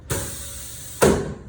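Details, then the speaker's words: Corghi AM28 tire changer: bottom joystick moves the arm out to the rim, giving two sharp solid clunks about a second apart as the arm locks in place; normal arm lock clunk. "boom, click, clunk, you got to hear that noise."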